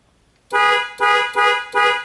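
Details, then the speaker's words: 2001 Toyota Tundra whose horn, cruise control and airbag light all failed together: four short, strong horn blasts on a clean tone with the horn wired direct, proving the horn works and the clock spring is defective and needs replacing. "so the horn works and our problem is the clogged spring"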